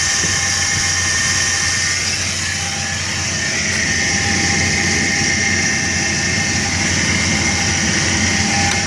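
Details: 1999 Chevrolet S10 2.2L with 86k miles at idle: light, fast rattling whir with a thin high whine. Owner asks whether the timing set needs replacing. Timing chain suspected, unconfirmed.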